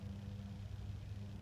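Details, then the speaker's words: 1998 Jeep Grand Cherokee petrol engine idling: steady deep rumble, loud and rough underneath; exhaust leak from a possibly cracked stock header suspected, not confirmed. "there's some Grand Cherokee I've been starting it up and it's kind of loud under here"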